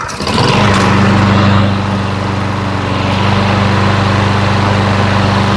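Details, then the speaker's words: Super-low-hour Lawn-Boy mower that sat for a while, fresh gas, started on second pull: steady, even single-cylinder hum with a smooth firing beat and no knocks or misses; very quiet, healthy running. "I'm speechless. I'm just speechless on that one. This is the quietest lawnmower I've seen in a long time."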